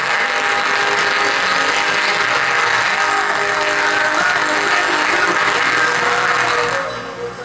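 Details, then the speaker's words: Car audio midrange speaker whose cone is disconnected, not blown, and is repairable with glue: thin, buzzy, rattling sound with no bass; distorted midrange speaker from a disconnected cone. "Now most people will determine that as a blown speaker. A shop definitely will. And how we get around this is by making sure it's actually blown and not disconnected. So unlike this one, it's disconnected. So of course, it's going to give us bad sound quality."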